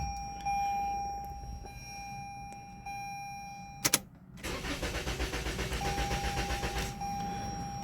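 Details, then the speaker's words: Toyota Camry with no-communication codes U010187, P061347, B279986 and P0606, after writing the VIN into the vehicle: a click, then steady cranking at about four pulses a second with no firing. Owner suspects immobilizer issues. "okay whats weird why is it not starting now all right let me do this I'm going to I implement the VIN inside of this vehicle so I got mobilizer issues"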